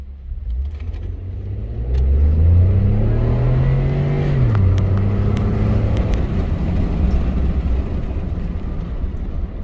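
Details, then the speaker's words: 2014 Ford F-150 3.5L EcoBoost, after repair of rough running and flashing check engine light under load: clean pull under hard throttle, pitch climbing steadily then settling, no stumble or misfire; runs smooth. "much much better accelerates better runs smoother and no flashing check engine light"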